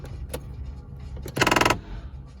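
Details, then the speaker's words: Audi A3 8V (same mechanism as Golf 7) electric sunroof: a quick, harsh burst of rattling clicks as it starts to open; the roof is misaligned, higher on the passenger side than the driver's side. "so I have a problem with my sunroof when I try to open it makes this sound"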